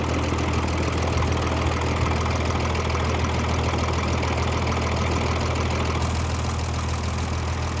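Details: M35A2 truck diesel after liner repair, rocker reinstall and final valve clearance adjustment: a steady low clatter at an even idle with no odd knocks or rattles; the valve train sounds properly adjusted.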